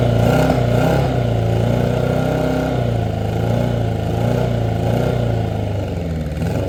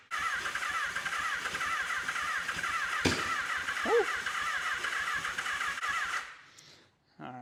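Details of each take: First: 1983 Honda Nighthawk 650 that sat since 1987, first start after long cranking, new plugs and a fuel fix: the engine catches, revs unevenly, then settles into a rumbling idle; running properly. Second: 1983 Honda Nighthawk 650, sitting since 1987, first start attempt: starter spins steadily about six seconds without firing; cranks but won't start because the fuel supply was air-locked and not feeding the carbs.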